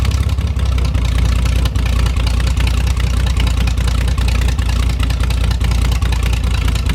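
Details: 1973 GMC 432ci V6 engine, out of a parted-out truck and sitting unstarted almost five years, run after light prep: deep, even low rumble with steady beat at idle and light throttle blips; normal idle, sounds healthy and smooth.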